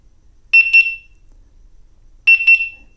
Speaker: so this beeper on this wheel is incredibly loud and i gotta believe you could hear it if you're going 50 miles per hour